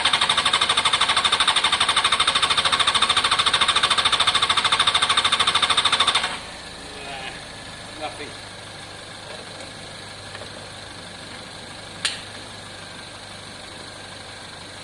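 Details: Honda CBR600 F4i non-runner, accident-damaged and unused for years, after injector cleaning with cleaner and fresh fuel: about six seconds of fast, even cranking, roughly 200 beats a minute, never fires. Owner hears no pump prime and suspects fuel pump, unconfirmed.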